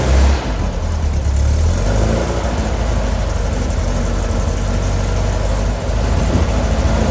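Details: New Powerhaus 2110cc air-cooled VW flat-four, upgraded heads, dual 44 carburetors, on dyno after valve adjustment, warmed up: steady even low rumble under load, no knocks or ticks; normal running.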